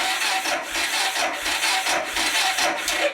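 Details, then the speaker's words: Motorcycle with dead battery, cranking after topping up the battery with a lithium jump starter pack: slow laboured whirring pulses under a second apart dying off without firing; battery still too weak to start it. "so I threw a little bit more power into that battery but still not enough to bloody get it going"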